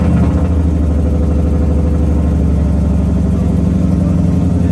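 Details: Nissan 200SX S13 with 1UZ VVTi V8, first startup after months of build work: deep, even burble held just above idle, steady firing with no misses or knocks, healthy.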